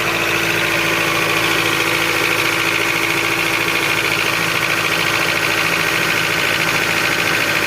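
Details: 2006 Honda CR-V K20A4 engine, very noisy especially cold: light, fast tapping about three to four per second over the idle up top; teardown found worn camshaft journal seats (caps), camshaft journals knocking.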